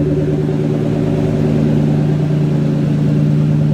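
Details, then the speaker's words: Engine idling after exhaust leak repair at ball-and-flange joint, gap sealed with sealant sandwiched around the flange: smooth even low drone, no puffing or ticking; exhaust now sealed. "Okay, like I said, it's not the cleanest or the best way of doing this, but as you can see, you get enough of it in there, it seals it up pretty good."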